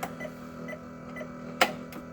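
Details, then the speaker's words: School bus, CDL pre-trip interior inspection, checking turn signals and four-way hazards: faint light clicks over a quiet cab hum; hazard flasher relay ticking normally. "Right now I'm going to go ahead and check my turn signal and four-way indicators, also high beam."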